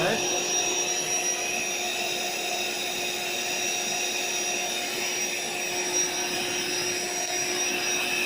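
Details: AeroBed Deluxe Raised double air bed, built-in electric pump inflating it, pinhole leak suspected near the bottom: steady, even motor hum with strong rush of air, no stutter or labouring; pump running normally.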